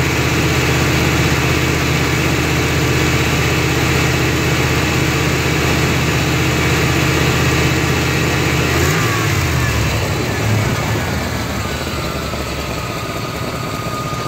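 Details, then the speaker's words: 1993 GMC C1500 5.7 V8 with O2 sensor unplugged (open loop) after surging and rough idle; even, steady idle with regular beat, no hunting or surging; surge gone. "okay we got the too unplugged and as you can see it's already idling better and we're not getting that surge anymore"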